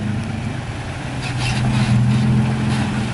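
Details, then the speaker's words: Toyota Tacoma with a sway bar relocation kit, driven in at an angle fairly fast: smooth low engine rumble with no rubbing or scraping from the wheel wells. "i didn't hear that time and you you didn't rub i was watching i thought just because you were angled and going fast enough it was gonna rub for sure but it didn't at all"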